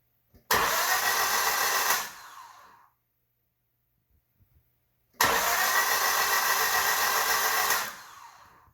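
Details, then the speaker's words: 2005 Honda Civic LX 1.7L after timing chain, water pump, head gasket, coils, plugs, battery and fresh fuel: two bursts of steady starter cranking, about four turns a second, two seconds each, engine never catches; crank, no start. "as you can see the engine is turning over it is spinning one of the pulleys there but that's the power steering"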